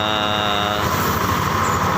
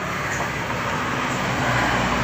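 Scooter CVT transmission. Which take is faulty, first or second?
first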